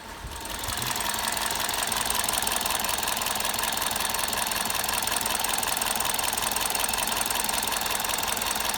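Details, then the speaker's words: 2006 Toyota Avensis with P0303 cylinder 3 misfire code, at idle: uneven, hissy stumble repeating a couple of times a second; scope shows shorted primary windings in the number-three ignition coil, new coil fitted. "but shorted primary cars started primary windings on Kyle number three new car going"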